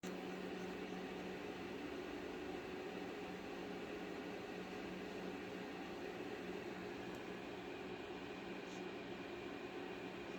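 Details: XFX AMD Radeon RX 6700 XT graphics card: steady electrical hum with a few faint whining tones and no knocking; unexplained noise.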